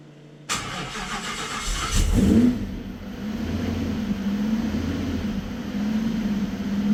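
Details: Supercharged Nissan VK56 V8 in a Nissan Gloria on Link ECU, first start before dyno, fuel pressure 265 kPa: cranks about a second and a half, catches cleanly and settles to a smooth, steady idle; normal start and idle.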